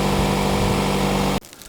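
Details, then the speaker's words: Car with a dead, corroded battery (cells later topped up) started using a 12-volt jump starter power bank (Audew 12000 or Motomaster Eliminator); steady, even engine hum for about a second and a half before cutting off, running normally. "Okay, let's try it out. It works."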